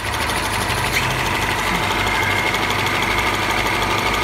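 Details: Tofaş idling with a steady high whirring rasp when the clutch is pressed; clutch release bearing or worn pressure plate fingers suspected, pressure plate found faulty.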